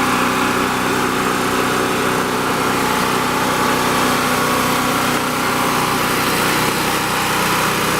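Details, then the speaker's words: Champion 196cc 3500 running/4000 starting watt portable generator, started on choke on the first pull after sitting almost 2 months: the single-cylinder engine holds a steady, even drone with a bright edge, no misses or knocks; normal running. "Okay, as you can see, it starts up pretty easy. First pull, it's been sitting for about almost 2 months now, and I haven't really touched it."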